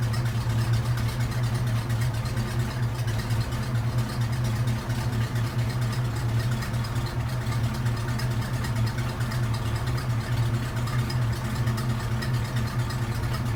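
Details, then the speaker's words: Classic hearse after break-in 50-mile oil change with fresh oil and PCV hose fix, custom exhaust: steady, even, quiet low idle with no misses or ticks; sounds healthy. "Sounds good. Quiet."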